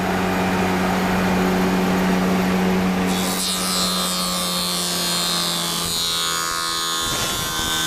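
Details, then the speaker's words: Sagar spindle moulder with 16-inch box joint cutting attachment, not set up perfectly: steady motor hum, then a loud rasping cut with a fluttering, buzzing vibration as the cutter comes down; vibration source undetermined. "tight you can hear that vibration on the way down i'm not sure what that is now the machine isn't set up perfectly"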